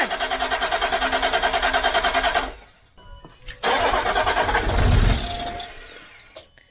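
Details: 2006 Land Rover Discovery 3 TDV6 2.7L diesel after a full rebuild: steady starter cranking at about three beats a second with no firing. The old crankshaft trigger wheel was mispositioned, and the engine ran only after it was offset.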